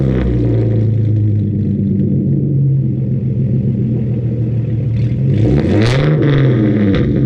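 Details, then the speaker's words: 2013 Genesis Coupe 3.8 with headers, straight pipes, ISR exhaust and tune: deep revs then sharp crackles and pops on overrun; owner suspects first pops came from another exhaust crack leaking, unconfirmed. "those first few pops sounded like weird like it almost sounded like there's another crack in the exhaust and it's leaking from somewhere else let's just hope not"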